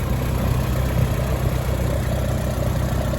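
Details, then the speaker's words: Farmall Super C tractor, six-volt, after engine rebuild, warm at about 140°F water temperature, oil pressure about 40: steady, even low rumble at idle with no knocks or misses; running fine. "oil pressure is staying about fit or 40 so everything seems to be running fine so far"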